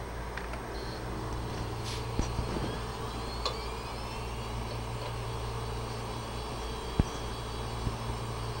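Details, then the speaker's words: Western Digital 80 GB hard drive, after head swap for clicking due to bad heads, powered up on imaging station: smooth steady hum with fine high whine and no more clicking as it spins up; normal spin-up. "and you'll notice there's uh no more clicking at this point"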